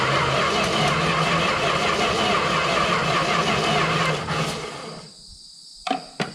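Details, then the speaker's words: 1971 Plymouth Valiant Scamp parked 16 years, cranking on a new battery: even starter churning about three turns a second for four seconds without catching; cranks but no start, spark now present, possibly thanks to the ignition control unit, cause still unconfirmed. "fail i heard something clicking that time more than more than there was so that's a plus i think still no starter key"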